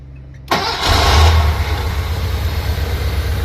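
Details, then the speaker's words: Porsche 928 first start after fuel pump replacement, new intake gaskets and other seals, previously needing long cranking; fires almost at once in about one second, brief flare then steady low idle: normal start and idle. "Can you see the difference now? It takes 1 second to start the car up compared to before. You got to crank and crank and crank and crank."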